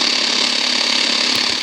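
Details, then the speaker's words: Prunus J-168 portable radio on the shortwave band, no external wire attached; steady hissing buzz with fast fine flutter and no station, reduced when a wire is connected: internal RFI noise on shortwave reception. "You can hear that sound. It's the internal RFI, but when you hook up a wire, tends to reduce that noise."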